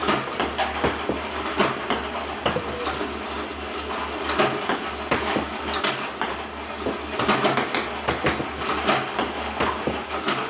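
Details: iPong Pro table-tennis robot, 4 weeks old with about 2 hours run time, using clean Joola 40mm balls with the power cord fully plugged in. Irregular sharp clacks and knocks over a faint motor hum give erratic launches; misfiring is becoming more frequent.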